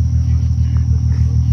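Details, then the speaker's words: Audi B5 S4 with fully built engine and transmission, twin turbos, about 640 whp on pump gas, in its post-drive after-run cooling the turbos for about four minutes before auto shut-off; a brief, even, smooth idle rumble with no knock or whine. "it's gonna be running for four minutes and it's Gonna Keep pumping you know cooling through the turbos cool the turbos down and then the car will decide to shut off and go to sleep"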